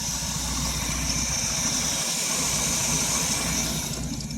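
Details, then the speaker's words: 1967 Chevrolet C10 small-block V8, cold start after three to four years unused, homemade glasspack exhaust with flex pipe: steady, even burble with loud exhaust hiss, no knocks or misses; normal idle. "still sounds good anyway"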